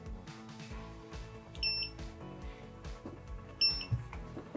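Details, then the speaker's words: FPV drone standalone lost-drone buzzer (5 V, ground) triggered after battery unplugged: two short shrill beeps about two seconds apart over background music; alarm activates as it should. "donc il s'active, on l'entend sonner. Voilà, là il sonne. Ok, j'ai désactivé, c'est bon, le buzzer autonome fonctionne très bien."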